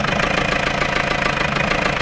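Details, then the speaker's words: Left-hand-drive Peugeot 404 diesel pickup, sat non-running for years, just started: knocky, ragged idle with clatter, heavy crankcase blow-by, breathing like a steam train; owner thinks it's diesel knock rather than bad mechanicals but suspects it isn't healthy. "it's a bit knocky but I think it's diesel rather than horrible Mechanicals it's to combing"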